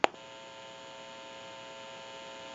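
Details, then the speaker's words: Western Electric Princess desk telephone repair bench: a click, then a faint steady electrical hum from the open amplified pickup/test amplifier giving dial tone when its button is pressed; interference from the amplifier, not the phone. "And when I go ahead and press the button, you may hear a little bit of an electrical hum. It's pretty quiet today."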